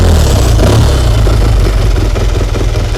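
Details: 1954 Triumph Tiger 500 twin, dead cold and not run for some time, started after turning on the petrol and tickling the carb: a low, even thumping that settles into a steady idle with no knocks or rattles; healthy cold start.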